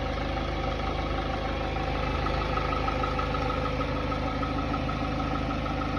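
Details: Hyundai Tiburon 2.0 MPI G4GC (143 hp) at cold idle: light, uneven tapping about three per second that disappears once warm; the owner suspects piston slap, not confirmed.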